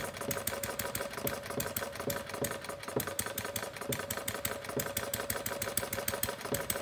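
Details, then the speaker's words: Homemade single-cylinder plumbing-parts gas engine (about 0.875 in bore, 1.5 in stroke, 7 in flywheel) running fast after a rich misfire: sharp, evenly spaced popping while the needle valve is slowly turned clockwise to lean the mixture. "I'm going to start closing the needle valve by turning it clockwise very slowly that's running pretty fast start closing down with leaning up the mixture as I do that I should slow down the throttle walk and have to lean very"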